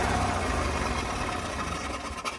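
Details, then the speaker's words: 2013 Club Car golf cart engine, started by pressing the pedal after 2.5 quarts of water were flushed from the crankcase oil and fresh oil was added: steady, even hum easing down smoothly with no misses, knocks or rattles. Normal running. "now you just press on the pedal it starts real good"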